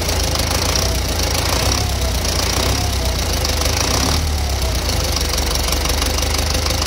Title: Стук в двигателе